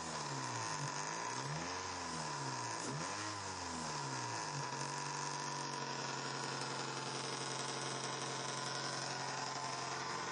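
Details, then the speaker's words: Neglected 2003 Toyota Corolla 1.6 VVTi at idle: steady idle with light buzzy rattle over engine note; previous owner says noise is the plastic intake manifold, which is known to separate internally; to be removed and inspected. "so according to the previous owner that noise is entirely due to the plastic intake manifold from what i know they do separate and have issues"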